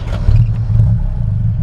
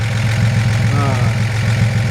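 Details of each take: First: 1941 Chevrolet Business Coupe with dual exhaust, started with foot pedal starter: deep, loud, blatting rumble with rough clatter at low revs; exhaust leak through one muffler with a hole, needs a new muffler. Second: 1941 Chevrolet Business Coupe, likely newer mid-1950s 235 six, dual exhaust, one muffler holed: low, steady idle with even soft exhaust pulse, no knocks or ticks; runs perfect, normal idle.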